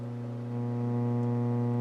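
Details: McIntosh MX110 (non-Z) tube preamp returned with hum, volume turned up, no inputs connected: a steady low hum with a buzzy edge grows slightly louder and holds, from a failed power-supply filter capacitor section letting ripple in.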